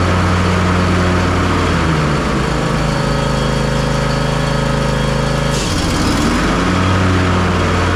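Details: John Deere S240 mower after repairing a deck that was loud, throwing belts and cutting unevenly after hitting something, deck leveled, bagger fitted: steady, even engine drone with smooth deck whir, no knocks, squeals or belt slap.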